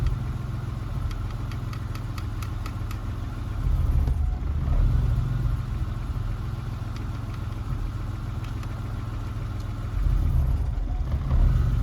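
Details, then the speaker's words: EK Civic with J-series swap on Speeduino ECU: idle mostly steady but dips and surges twice, an intermittent rough idle stumble that happens when positioned upright, as with the interior installed; data log later shows sync losses. "There, you can hear it. It does it when it's like upright like this, which is how I put it when I have the interior installed."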